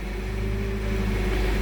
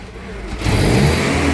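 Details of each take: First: Toyota 7FGU32 forklift with erratic idle, resistance added to RPM signal circuit, dropping voltage peaks from about 37 to 25 volts; smooth, constant low drone with steady pitch, no hunting or surging: normal idle. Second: Toyota 7FGU32 forklift, 4Y engine, with governor ECU. It jumps from a quiet idle into a sudden uneven rev-up that doesn't settle, as the ECU drives the throttle body wide open and then randomly shuts it; probably erratic around 1700 rpm.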